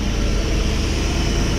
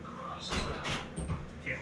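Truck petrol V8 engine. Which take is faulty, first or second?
second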